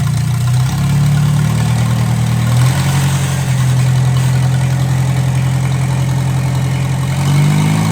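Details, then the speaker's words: 1957 Hercules four-cylinder engine with magneto, revived and run without coolant, radiator steaming: smooth steady hum that dips and picks up cleanly with throttle, no knocks or misses; runs well. "okay runs pretty good I don't want to run it too long like I said I got no water in it"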